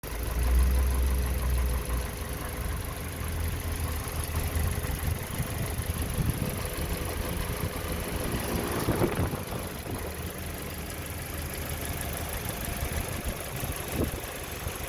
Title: 2020 Toyota corolla engine 1.8L bearing rattling sound